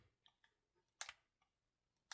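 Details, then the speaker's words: Samsung Galaxy Z Flip 6, eight months old, gives sharp irregular crackles and snaps from the hinge and folding screen as it unfolds, worse after sitting overnight; screen crackling when unfolding. "there is quite a bit of crackling noise which sometimes is worse sometimes isn't that bad if you do let this phone sit like overnight or something you will experience pretty bad crackling once you open it"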